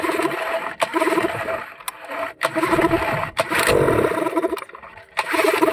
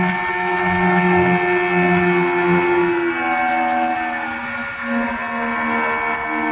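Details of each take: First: Yamaha 15 hp outboard that dies at low rpm in forward gear, tested with the stop-switch wiring disconnected: it still catches, sputters and cuts out repeatedly, so the stop switch is ruled out; the cause was later found to be a leaking reed valve and clogged carburetor. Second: Yamaha 15 hp outboard that used to die at low rpm when shifted into forward gear, after fixing a leaking reed valve ("red velvet") and a clogged carburetor: pitch rises smoothly with throttle and returns to an even idle, and it no longer dies.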